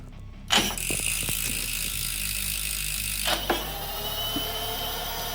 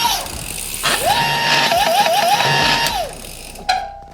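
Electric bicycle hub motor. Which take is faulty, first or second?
second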